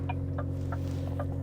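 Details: Truck cab: loud, steady low hum and buzz from an adjacent refrigerated container unit running normally, strong enough to shake the steering wheel.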